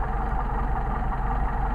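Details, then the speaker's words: Mercedes 190SL with freshly machined, rebuilt twin Solex carburetors, idle mixture set, running slightly low at about 500–700 rpm: steady, even idle with no stumble or hunting; carbs well balanced, normal idle. "right running like it's supposed to now this is like I said this is running a little low on the aisle selling them but i just wanted to demonstrate how nicely it idles"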